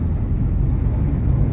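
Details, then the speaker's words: Fiat Strada Adventure after a suspension overhaul with new shock absorbers, driven over a speed bump on a dirt road: only a steady low rumble with no clunks or rattles. The suspension is firm and normal. "Top, né? Do lado tem um caminhão aqui. Então vamos lá, vou levar ele. Vou levar ele ali, ó. Ficou firme o carro, hein?"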